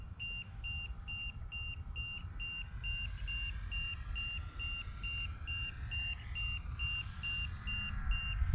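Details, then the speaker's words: E-Flite Turbo Timber 1.5m RC plane in flight: piercing LiPo low-voltage alarm beeps about twice a second over a low rumble. The threshold was set at 3.9 V, likely too high, so it trips early when cells read 3.88 V at 15% charge. "Hear it beeping? I think it's set too high."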